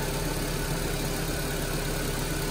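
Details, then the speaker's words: 2010 Nissan Grand Livina SP, flood-soaked to half-wheel height, after repair: hood open, smooth even idle with steady low hum, no roughness or ticking; normal idle (mechanic had suspected the alternator). "Ini bisa melihat hasilnya. Suara mobil normal kembali, tidak ada bunyi kasar-kasar lagi."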